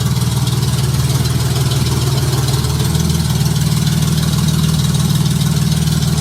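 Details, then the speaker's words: Junkyard Honda J35 V6 with 183,000 miles in a Baja, start on AEM Infinity ECU, warming up at idle: steady even low rumble, about three pulses a second, no knocks or valvetrain noise, good oil pressure, compression not great. "but now that i've run it it sounds good there's no knocks there's no like extreme valve train noise it's got good oil pressure"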